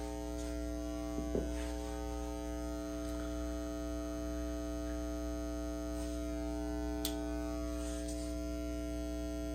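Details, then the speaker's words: Carver TFM 4.0 Magnetic Field Power Amplifier: steady low mains-pitch buzz with stacked tones continues even with power switched off; cause unknown, persists with different speakers, power line filter and components; listed as needing a recap. "it's still going on even though i had the power switched off that's crazy"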